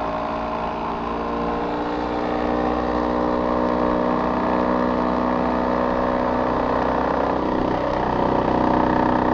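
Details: Older Trane XV90 two-stage furnace with an ECM-controlled blower motor and a White-Rodgers board, started from the thermostat. A loud, rough steady roar with uneven pulsing and rumble. The ECM blower sounds unhealthy and noisy.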